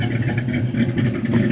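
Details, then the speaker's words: 1972 Chevy Malibu Chevelle SS tribute, 350 V8 with mild cam, new Holley carburetor with electric choke and fresh tune-up: deep steady idle with slight rhythmic cam lope, no misses; healthy idle, previously slightly off before carb swap. "electric choke just like nice clean 350 we'll fire it up for you and then I'll show you the inside [Music] got a mild cam in it"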